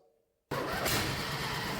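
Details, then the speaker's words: 1999 Murray ride-on mower, non-runner for 3–5 years, after new plugs, oil, fuel filter, gaskets and carb refit: it catches abruptly and runs loud, raw and crackling with the exhaust and air filter removed. "Damn, that was loud. Next up, I will install the exhaust again."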